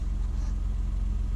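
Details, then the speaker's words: Ford Fiesta SFE three-cylinder with 71,000 miles and a timing belt in an oil bath, no warning lights: smooth, even idle with regular pulses, no belt or tensioner squeal. The slight shake is considered normal for a three-cylinder. "Idle's pretty smooth. Nothing out of the ordinary. Don't hear any noises, no belt squeals or tensioner noises or anything like that."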